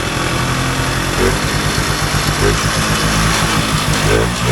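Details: Polaris Colt vintage single-cylinder two-stroke race sled after leaning out (pilot jet 50 to 35, needle dropped one from center) runs steadily with a soft, slightly burbly note; it pulls cleaner and starts better but still sounds a touch rich.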